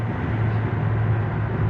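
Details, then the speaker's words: 2023 Toyota Avanza after transmission repair, road test lifting off throttle: steady low road and engine rumble with no loud hum as before; transaxle noise gone, back to normal. "So okay na. Wala na yung ingay guys. Back to normal na siya. Hindi kagaya dati no na pagbitaw mo ng accelerator ay napakalakas talaga ng ugong."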